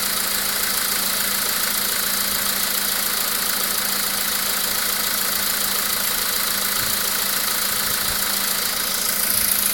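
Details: VW Polo Sedan with CFNA engine at idle: faint, fairly regular knocking just over twice a second on an even idle; an engine knock whose source is unclear.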